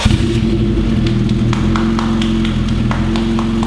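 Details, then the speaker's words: Fully built Honda B18 turbo in a Civic, first start, cold snowy day: steady, smooth hum with light ticking, no misfires or heavy knocks; running perfectly, normal running. "Shut it off, let it cool, check everything again. Can we open this now before it gets too hot? Yes. As you can hear, it's running perfectly."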